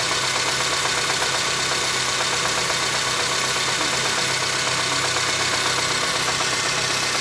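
Steady idle with a light, fairly regular knock of roughly three beats a second riding over the engine; the source isn't clear.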